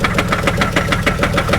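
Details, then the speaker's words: 2004 Buick Park Avenue Ultra supercharged, salvage auction car, misfiring at idle: sharp regular knock about seven per second over rough idle with occasional stumble, seemingly from the bottom end; owner suspects rod knock, not confirmed. "that sounds like a rod knock [Laughter] [Laughter] to me that sounds like that sounds like a rod man doesn't it to you it really sounds like her"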